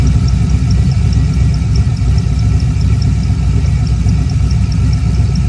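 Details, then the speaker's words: LS V8 in a Trans Am warming up at idle before tuning: quick high chirp, four or five a second, over steady idle; owner suspects a spun or failing connecting rod bearing, not confirmed. "Wouldn't you have it, wouldn't you know it, that when I was warming the car up there, I heard just a little bit of a chirp, chirp, chirp, chirp, chirpity, chirp, chirp, chirping."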